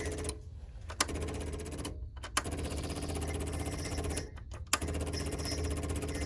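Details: 1989–92 Ford YT18H garden tractor, rewired after a fire, newly fitted electric fuel pump: rapid, even mechanical clicking buzz with a few brief pauses, the fuel pump ticking normally.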